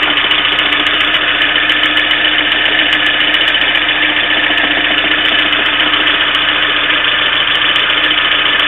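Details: Engine idling thin and buzzy with rapid light tapping about three or four times a second; a knock inside the engine, cause unknown.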